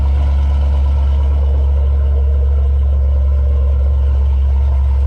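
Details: 1989 Chevrolet Caprice with LS V8 swap, cold start after front suspension rebuild (battery/terminal briefly suspected dead): strong, steady low rumble at an even idle, no misses or knocks; V8 runs smooth.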